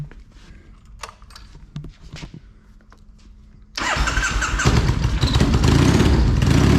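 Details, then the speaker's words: Triumph motorcycle that has been running poorly, owner suspects bad gas after changing tanks: a few clicks, then it catches and settles into an even, steady idle with no stumbling. Doesn't sound too bad today, a normal idle. "make sure i turn the key off so i don't have another dead battery on it doesn't sound too bad today"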